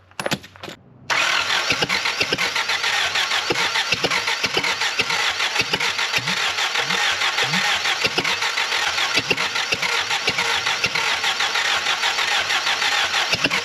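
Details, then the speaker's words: Willys L-134 in a Jeep FC-150 frame, cranked after heating the plugs: starter spins the engine fast and evenly, about three and a half beats a second, with no firing; compression test reads the same on every cylinder, no compression anywhere. "oh still not fair i decided i'm gonna do a compression test on this motor um and the results you know how they're supposed to be the same across all the cylinders within a few percent it's exactly the same on every one"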